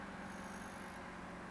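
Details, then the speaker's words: Digital microwave oven after repair of the door switch, heating for 10 seconds with the turntable spinning: a steady, even low hum with soft fan rush, working normally. "прекрасно работает греет функционирует чашка крутится"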